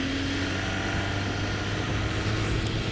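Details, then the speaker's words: Yamaha XJ 600 motorcycle on its first test ride with a replacement used engine after the old one failed (leak at the cylinder base): even, steady engine note under way, no knocks, rattles or stumbles; normal, quiet running. "noch läuft schön ruhig"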